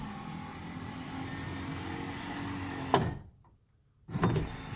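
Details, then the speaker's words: 1979 Lincoln Continental right front power window after motor and regulator repair: motor hums with a sharp clunk at stop and restart; mild clunking remains but far better than before. "oh that is way better still got that a little bit of clunking sound which nowhere near as bad"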